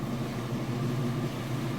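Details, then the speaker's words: Whirlpool direct-drive top-load washer in final spin, lid lifted until the safety switch shuts it down: low, steady hum with a soft rush and no knocking, scraping or wobble. Smooth, normal spin. "Of course the safety switch is going to engage and shut it down, but you'll be able to see that it is spinning nice and fast. You can see from the outside, nice smooth operation."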